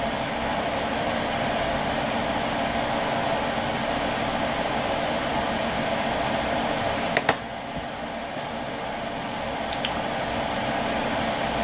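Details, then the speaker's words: Xbox One with its stock fan modded to run on 12V at unlimited full speed, heard from the back while booting. Steady, even rushing whir, louder than before. No pulsing or rattle; smooth and normal. "it's louder than what it was sure but it's going to be running a lot colder than what it was two"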